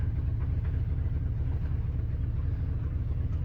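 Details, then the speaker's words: 1976 Ford F250, 390 FE V8, 4-speed in granny low under load: deep, loud, uneven raw rumble and puttering from an exhaust hole broken off around the Y-pipe, hard to reach; owner says it needs all-new exhaust, patching won't fix it. "look at that son of a gun the whole reason i parked this rig is because the uh the exhaust has a hole in it in a very unfortunate area where it's very difficult for me to get to to patch"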